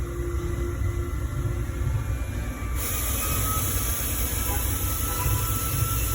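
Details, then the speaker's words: 2018 Ford Escape rattling on startup, idle and revving: heavy uneven cracking metallic rattle from a cracked flywheel covered by a special service message. "the 2018 Ford Escape rattle type of noise on startup and idle or when revving like a cracking rattle noise"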